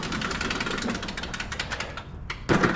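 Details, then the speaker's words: Walk-behind push mower after spring service (new spark plug, air filter, oil change, sharpened blades): short burst of even engine chatter with a handling thump as the power drive is tested; running normally, power drive working. "Let's start it one more time and check our power drive. Okay, our power drive is working lovely."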